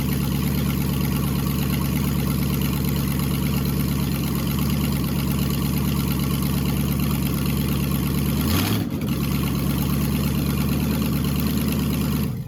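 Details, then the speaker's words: LS V8 swapped into a BMW E46, after shortening the harness, fuel pressure about 80 psi: deep, steady idle with even lope and brief blip, no knocks or misses; normal idle, sounds a little healthier. "okay I mean all we did was trim a bunch of wires back in theory so I'm glad it still works and it does sound a little healthier"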